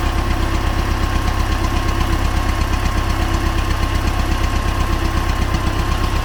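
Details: T-40AM tractor diesel driven across a field ditch to test the differential lock, about -14°C after standing a month; steady run with a dull, fairly regular knock about twice a second, engine knock source not yet found.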